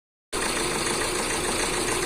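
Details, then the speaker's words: Tata Nexon: rough, uneven, lumpy idle, a bad engine misfire with no pickup after it was push-started; the head must be opened. "Friends मैं आवेदन सारी आप देखो star body और Tata Nexon है और यह गाड़ी बहुत मिसिंग कर रही है और पिकअप नहीं है"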